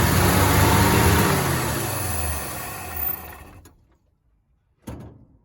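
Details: 1965 Chevy C10, sitting since 1994, first run: runs fast instead of idling, sags and dies within three seconds; throttle return spring removed earlier during fuel hose work, gas pedal sticking.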